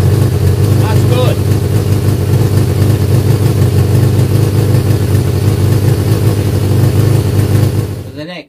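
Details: Yamaha XJ550 Maxim being restored, first start after carb rebuild with new diaphragms, carbs not yet set up and air box not connected: steady, deep, even idle for about eight seconds before shutting off; the engine starts and runs.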